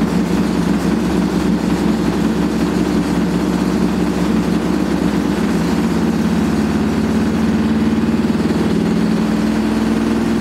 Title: Old Hotpoint AQUARIUS 6kg WMA58 Washing Machine Spinning with very Bad Bearings